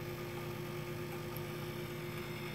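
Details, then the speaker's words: Grundfos 26-99 circulator pump on a hydronic heating system, mounted horizontally rather than vertically as intended; phone held against the pump. Steady low buzzing hum carried through the pipework, which the owner thinks means worn bearings and a cartridge replacement. "and it's echoing through the pipes catch up against one of the pipes right now i think the bearings are starting to go bad now"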